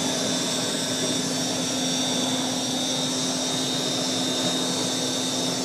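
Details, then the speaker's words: 1940s Eureka Roto Matic Model 800 canister vacuum, the quietest in the collection: a soft, steady motor hum with a faint even whistle and no rattles or surging. Normal running hum. "this is by far my quietness vacuum in my collection it just has that little hum to it that's so pleasant to listen to while you go back"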